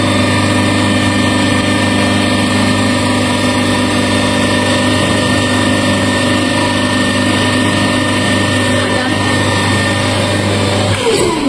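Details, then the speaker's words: DC shunt motor connected to DC supply through a four-point starter, just started and spinning clockwise: smooth constant hum with steady whine until switched off; normal running. "Direction clockwise दिशेने फिरत clockwise फिरत आहे अशा पद्धतीने."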